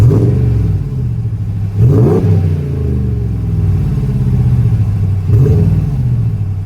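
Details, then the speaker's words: RAM 1500 5.7 L Hemi V8 petrol after replacing cracked factory exhaust manifolds with Manta manifolds, morning start: deep burble with three clean throttle blips, no tick or exhaust-leak chuff; manifold tick gone, normal revving. "And uh you'll hear very clearly that the tick has completely gone. Listen to that. Love the sound of the V8 in the morning."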